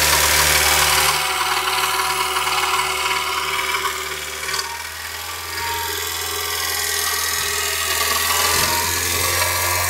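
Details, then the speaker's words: 21-year-old engine at warm idle: steady clatter of knocks about three or four a second over the engine hum; cause unclear; owner says the engine needs repair anyway. "Хороший стук всегда сам вылезет, да? На 21-летнем двигателе уже и пора бы. Вот. Лезет. Прогретый."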